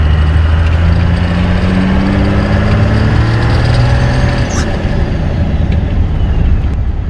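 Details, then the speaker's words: Ford F150 with a new Diesel Power Source turbo, recorded from the cabin during a hard takeoff: the engine note climbs with a rising "shoo" spool tone under cabin rattle; normal healthy turbo spool. "You can definitely hear the turbo. It goes shoo."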